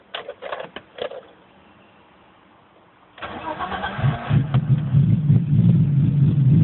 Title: Bmw e30 320i bad misfire .